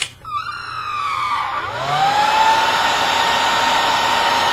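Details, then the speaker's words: Sanyo Denki 60 x 38 mm industrial ball-bearing brushless cooling fan, 65 CFM, in a Gecko G540 CNC stepper control box (48 V 12.5 A supply): steady high tone rising quickly to even rushing whine, no ticks; running smoothly. "I'm gonna turn it on I'll let you be the judge of what 65 CFM sounds like"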